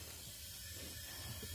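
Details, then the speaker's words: Cylinder leak-down test with the timing cover off, 70 PSI from the tank holding about 50: steady soft air hiss past the piston rings, with a low background rumble. "hissing coming from this side so that would be the piston ring is leaking piston ring on this one"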